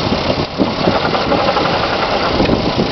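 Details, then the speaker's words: 2005 Pontiac G6 automatic, 73k miles: irregular dull thumps and rattles over a rough-running engine when shifting into drive or reverse; engine seen moving, motor mount suspected. "Okay, I'm watching the motor move. I think it might be the motor mount."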